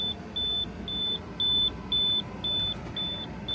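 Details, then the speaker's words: Semi truck driving through Colorado: high even beeps about twice a second over the truck rumble are the tire monitor warning that a rear trailer tire is overheating. Road assist advised letting some air out. "Hi guys, so today we are having a bit of a situation here where our tires are overheating. As you can hear right in the background is that little beeping sound."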